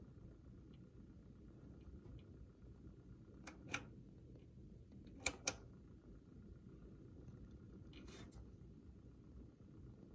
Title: Seasonic Focus Gx-850 rattling noise when fan is spinning